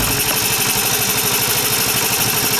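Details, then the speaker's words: 150cc Velocity scooter just after cylinder head work and valve adjustment, first start: quick, even single-cylinder putter at steady idle with no knocks or ticking; normal idle. "It is running guys. They sound pretty good."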